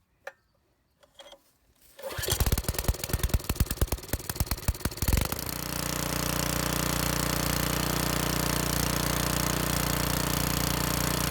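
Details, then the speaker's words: Briggs & Stratton engine on a rototiller, previously surging from a dirty carburetor; after cleaning the carburetor, test run with choke on and throttle up, it catches after a few pulls and runs steady without surging. "and there we have it looks like it's finished looks like i fixed the problem by cleaning the carburetor out"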